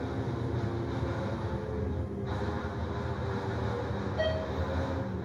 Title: traction elevator with weird noise LOW ON OIL